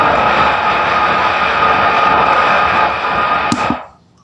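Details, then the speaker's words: Mini-compo power amplifier in a small subwoofer speaker cabinet: loud constant hiss from one midrange speaker channel, other channel normal, then cuts off; cause not yet known. "ข้างนึงนี้นะครับเป็นเสียงซ่าตลอดเวลาเลย"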